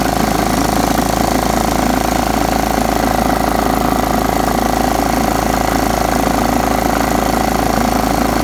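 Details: John Deere STX 38 riding mower, parked an estimated nine or ten years, after a new battery and freeing a carburetor float stuck shut: constant, smooth engine drone with an even beat and steady speed, no surging or misfire; normal running.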